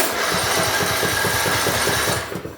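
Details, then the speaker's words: Compression test on a roughly 20-year-old small power-equipment engine, spark plug disconnected, full throttle: even, rhythmic cranking chug with no irregular beats, then winding down; about 95 PSI, normal compression. "And we're just going to turn it over until we see that needle stop planning."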